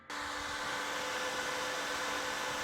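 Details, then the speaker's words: 2017 Lenovo ThinkCentre M710T office PC converted to gaming PC, first power-on in new case: loud steady whoosh with a constant high whine that never ramps down; one fan stuck at full speed, likely missing Lenovo case temperature sensor. "but the RGB is not lighting up and the fans aren't really doing anything. Except for this one. You're working real hard."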